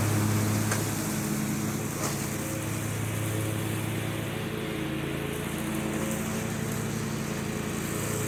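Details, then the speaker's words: John Deere 345 with Kawasaki FD611V V-twin at about 490 hours, after revival repairs and a fuel filter change. Steady, even drone holding pitch under mowing load, no misses or knocks; runs smooth and uses no oil. "The Kawasaki FD611V that's in this is just a fantastic little engine. Runs so smooth, doesn't use any oil, just a real treat."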